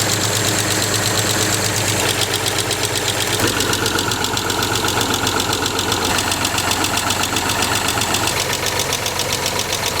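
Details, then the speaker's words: Land Rover Freelander SE3 with a KV6 V6: a rapid, even ticking, nearly four per second, over the idle, sounding upper-engine rather than a low knock. Suspected hydraulic lifter tap, still being pinpointed by stethoscope. "very taid upper engine not quite like a low knock but I've been known to be wrong so we're going to see if we can pinpoint stuff"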